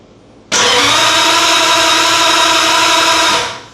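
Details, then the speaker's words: 1950 Ford flathead V8 with DIY EFI, ECU and coil power rewired: three seconds of steady starter whir with no firing; still no RPM/crank position signal to the ECU, crank no start. "No, we still do not. So going to configure some things here. Try to figure out what's going on. why we don't have a uh RPM engine speed signal."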